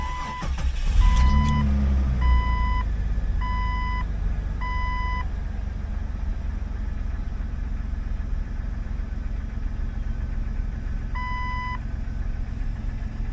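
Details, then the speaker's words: 2001 Jeep Cherokee XJ started after replacing a hose section: catches quickly and settles into a steady, even idle under dash chime beeps; runs fine, low on gas, with a sticking brake causing a separate dragging. Normal start and idle. "gas light seems pretty normal let's go put some gas on it seems to be running fine"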